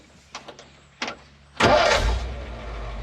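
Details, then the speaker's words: Ford F600 dump truck, previously running too rich with black smoke, restarted after a short rest with just a touch of the key: a few clicks, then catches instantly and settles into a steady idle; normal quick start. "that's what it should do that's what it's done for me even when it's cold"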